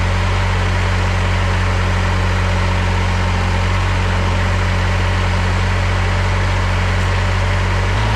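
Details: Old Ransomes Jaguar 4000 diesel commercial mower, revived after 20-25 years in a junkyard with rebuilt hydraulics, glow plugs heated before start: deep steady diesel clatter at constant idle, no misses or knocks; normal idle.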